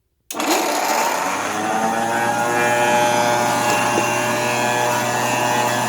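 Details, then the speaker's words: Sturtevant upright vacuum cleaner from the 1920s, motor with rheostat low/medium/high speed control, motor warming: spins up to harsh buzzy high whine with rough uneven edge; motor doesn't sound good, likely worn with age. "Motor doesn't sound very good, but I imagine it sounded somewhat better when it was brand new, so I won't hold that against it."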